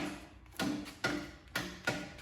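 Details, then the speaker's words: Briggs & Stratton single-cylinder Intek engine on a lawn tractor, battery checked: starter strains with heavy thunks about twice a second, stalling on each compression stroke as if the battery were dead; camshaft compression release has failed. "it's acting like it's a dead battery it's really strange"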